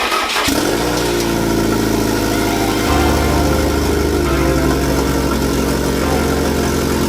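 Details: Fiat Coupe 16V Turbo after restoration and engine reinstallation, with swapped fuel-rail inlet and outlet lines corrected: short crank, then the engine fires at once and settles into a strong, steady run with a slight rev. Starts and runs normally.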